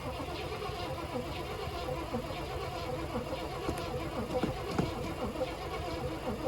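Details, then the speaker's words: 1980 Cadillac Seville, digital fuel-injected 6.0 L 368 V8, sitting with zero fuel; fuel pump cycled, starter cranks steadily, briefly seems to bog, but the engine never catches; crank no-start, cause not confirmed. "oh it sounded like it bogged down a bit there maybe it sucked fuel oh it didn't go that time must be pressured up"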